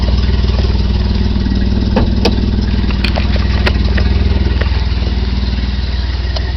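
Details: 1990 BMW E34 520i, M20B20 engine with LPG/petrol conversion, cold engine: uneven, stumbling idle pulsing about two beats a second with occasional misses; barely starts on petrol, won't start on LPG. Owner suspects failing fuel pump; fuel gauge dead.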